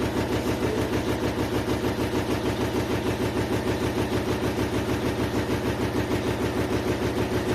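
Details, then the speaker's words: GEDTECH GLL71200WH 7 kg 1400 rpm front-loading washing machine, under three months old, shaking heavily: fast, even hammering thumps in spin, abnormal banging, cause unknown; machine also shows E2 error and won't spin at cycle end. "C'est pas normal que ça se secoue comme ça. C'est. Ça fait du bruit encore."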